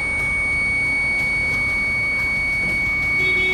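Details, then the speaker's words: TVS iQube electric scooter at 54% battery after repeated service visits: a steady high-pitched electronic tone with a short beep burst near the end over outdoor hiss. A persistent warning beep that keeps recurring, cause unknown. "ಇಷ್ಟಇದ್ರೂನು ಈ sound ಮತ್ತೆ start ಆಗಿದೆ ಅಂದ್ರೆ ಏನ್ ಹೇಳೋಣ"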